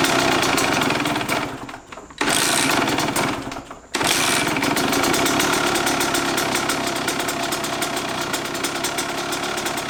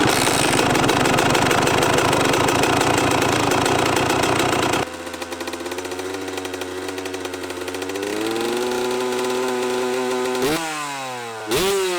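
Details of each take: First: Kawasaki KX125 two-stroke that sat far too long, first start after a couple of kicks and stalls: ragged, uneven idle, a rough idle. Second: Kawasaki KX125 two-stroke dirt bike, first start after sitting too long (rough idle at first, run outside): crisp buzz settles to steady idle, quick throttle blips climb and drop cleanly; fired up surprisingly well, sounds pretty good, normal running.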